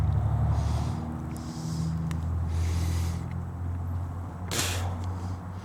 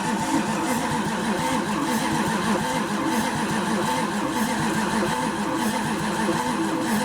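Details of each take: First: Chrysler 360 LA V8 (in a 1929 Chrysler) cranking on the starter after flexplate and torque converter mods, not warm; deep uneven churn bogging down slightly as oil hits parts; 33–35 psi oil pressure while cranking, good compression. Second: 1929 Chrysler fitted with a 360 LA V8, cranked on a battery boosted by a charger with no distributor fitted: even, rhythmic cranking at about three pulses per second, no dragging. Good compression and 35 psi oil pressure while cranking.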